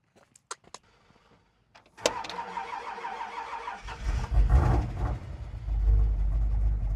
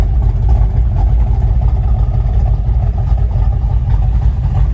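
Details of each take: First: Ford F100 with a healthy cam V8, cold day: starter cranks evenly about two seconds before catching into a lumpy loping idle; hard starting, owner suspects timing is out. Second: Ford F100 with factory 351 Cleveland V8, reportedly FMX automatic, nice camshaft: deep, loping idle with an uneven, choppy beat about two pulses a second, typical of a big cam; healthy.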